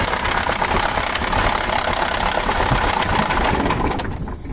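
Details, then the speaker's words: KamAZ 740 Euro 2 V8 diesel, cold and not yet warmed up, idling: loud clattering, uneven knock; owner suspects around cylinder 3 (or 7), possibly from the compressor or pump side; oil leak in the V, hard starting lately. "страшные звуки да очень страшная мне вот почему то кажется что это получается какой то у нас 3 получается цилиндр"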